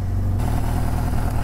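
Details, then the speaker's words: 1983 Suzuki GS650L revived after years stored, cold start on full choke with new battery: low, smooth, even idle with no stumbling or misses; running properly. "okay hey that's not bad at all this thing wants to be ridden"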